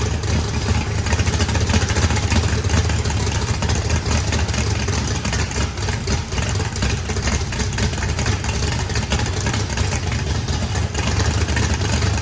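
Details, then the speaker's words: Freshly built turbocharged 409ci small block Chevy V8, added compression, big cam, first start: deep loping choppy idle, no knocks or misses, good oil and fuel pressure after fuel pressure adjustment; normal cammed idle. "Sounds good. Motor sounds pretty rowdy. Had good oil pressure, fuel pressure."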